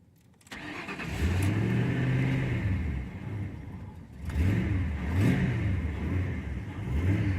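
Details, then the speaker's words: 2002 Ford Crown Victoria 4.6L V8, 103K miles, cold start: revs sag and surge unevenly as the gas pedal eases, stalling right out off throttle and only idling slowly on its own after long pedal; idle air control valve suspected. "see the minute let go of the gas it stalls right out if i keep my foot on the pedal long enough it will eventually run on its own but very slowly"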